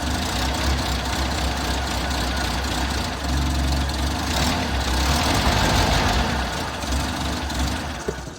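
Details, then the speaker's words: Six-wheeled Toyota truck after fuel tank replacement, new fuel filter and spark plugs didn't fix odd idle, maybe worse: idle swells and sags every few seconds, stumbling beat; rough surging idle, cause unknown. "Well, clearly the fuel filter and the spark plugs didn't fix my problem. I still have that odd idle and it may be even worse now."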